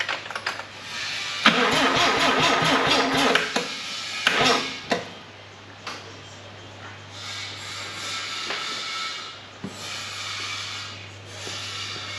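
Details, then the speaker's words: Mazda RX4 with replacement 13B rotary engine on first start attempt, fuel in the carburettor bowl: short sluggish cranking that dies away, owner suspects flat battery, later confirmed flat and replaced. "I bet it's got a flat battery there are no fire"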